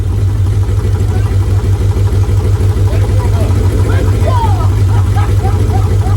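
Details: Mitsubishi 3000GT SL V6 project car: lumpy, uneven idle with a low thrum stumbling about three times a second; not running on all six cylinders, two coil packs suspected.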